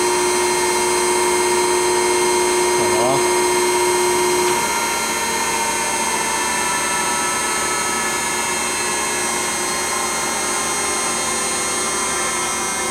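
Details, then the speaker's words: Okamoto ACC-16.32EX automatic surface grinder on 220 V, hydraulics running, grinding wheel spindle started: clear steady whine over hydraulic hum, pitch settling after start, no grinding or rumble; spindle runs smoothly. "Put on the grinding wheel. This one runs nice."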